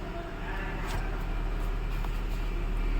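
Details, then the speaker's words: Tata Nexon CNG three-cylinder after misfire repair (broken part found on cylinder 3; coils and spark plugs removed): smooth steady idle with even beat, no misfire; check engine light that was blinking while running is gone, codes cleared, revving shows no fault. "यह देखिए check engine चला गया पहला check engine लग रहा था और running में ब्लिंकिंग कर रहा था अ रेस करने पर भी कुछ नहीं आ रहा है और एरर भी जीरो जीरो आ रहा है"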